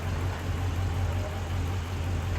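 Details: 2014 Dodge Charger Hemi V8 at idle: low, slightly uneven beat from a misfire, diagnosed with a compression test and lab scope.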